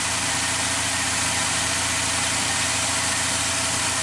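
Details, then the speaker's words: Mazda MPV after transmission swap and test drive with some slip, idling in park with fluid right on F: steady, even idle with no knocks, ticks or misses, settles smoothly; normal idle. "Perfect. It purrs. Whew. Wow. All right. Good news. MPV is back on track."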